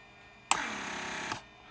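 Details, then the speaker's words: Mercedes S320 repaired PSE pump testing trunk handle circuit: pressure extends handle with power held, vacuum retracts it; short even hum under a second, clean cutoff; normal operation. "when I hold the power then handle is extended as you saw vacu uh pressure to push handle out once trunk lid is closed it creates vacuum for handle to retract itself"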